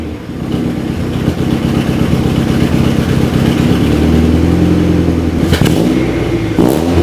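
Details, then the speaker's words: B-series-swapped EK Honda Civic with new custom budget exhaust: engine revving with a raspy puffing chuff on the exhaust note, headers still leaking at the manifold gasket despite a thicker gasket; soft hex bolts noted. "so unfortunately we are still completely leaking out the headers and I thought the thicker gasket would have fixed it but obviously it didn't and I can kind of feel where it's coming from"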